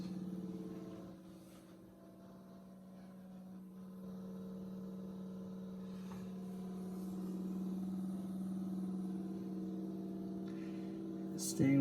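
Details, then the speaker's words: Fuel pump on the frame rail by the right rear tire of a G3 Hemi-swapped Pace Car, heard from the engine bay; quiet, constant low hum without pulsing, holding close to 60 psi with the return line working and no leaks; normal running. "So, the return line seems to be working. Pressure is all applied. If you can hear that pump, I don't know if you can hear it from me being up here, but it's on on the frame rail by the right rear tire."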